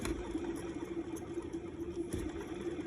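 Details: Car with charging-system/generator light issue, engine running: steady mid-pitched whine with faint ticking; the sound remains though the red light is gone at idle, source not yet identified.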